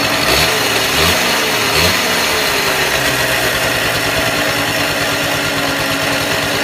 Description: Falls wer Ideen hat warum sie so blechern klingt...